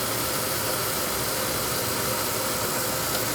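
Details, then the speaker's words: Oil boiler burner on a no-heat call, starting intermittently: lights and settles into a steady, even roar with faint hiss; technician suspects the primary control box relays and says it may need replacing, not confirmed. "sometimes this CAD cell won't be reading right and it'll uh screw it up"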